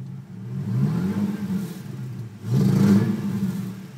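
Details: Nissan 350Z V6 that runs fine until it reaches operating temperature, then idles rough and uneven with irregular stumbles and surging. It is a misfire of unknown cause; the check engine light is on from an earlier start without the intake.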